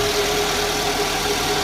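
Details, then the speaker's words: 2011 Toyota Alphard Gen 2, start after balance shaft and alternator pulley service that fixed a very rough, loud start: short stretch of smooth, even idle with a faint steady hum and no knocks or rattles; normal idle. "terdengar halus, jauh lebih halus daripada yang sebelumnya."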